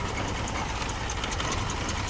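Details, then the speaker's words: Car engine vibrating and shaking violently at idle; uneven, lumpy idle with a deep shaking throb and irregular beats. "it could be a cylinder misfire, it could be a dirty air fuel filter, it could be any other problem out of ordinary. It could be a vacuum leak, severe vacuum leak."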